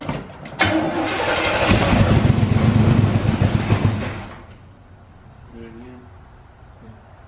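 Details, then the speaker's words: 1984 GMC Sierra C25 3/4-ton, 454 big block, sat 19 years, first try with gas poured in the carburetor: steady cranking with a sharp backfire bang that rattled the building; tries to catch but won't keep running. "god that rattled the building oh she backfired pump a little bit"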